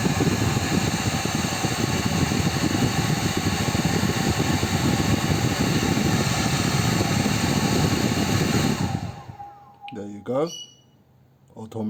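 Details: Xiaomi H300 hair dryer, about 8 months old, set to low heat and low fan after several days unused: steady fan roar for about nine seconds then abrupt cutout; it shuts off every 10 to 30 seconds.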